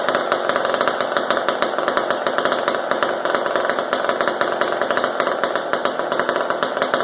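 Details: Old McCulloch Super 10-10 chainsaw, carburetor not disassembled; old fuel dumped and replaced, high and low needles adjusted. Crisp, fast, even two-stroke buzz with no stumbles or surging; running clean and normal.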